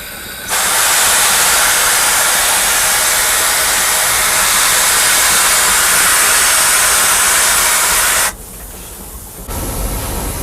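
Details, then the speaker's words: Steam locomotive cab going downhill, automatic brake valve making a train-line reduction: loud steady air hiss about eight seconds then abrupt cutoff; normal brake reduction venting air from the train line. "First, I'll make a reduction. That's blown air out of the train line."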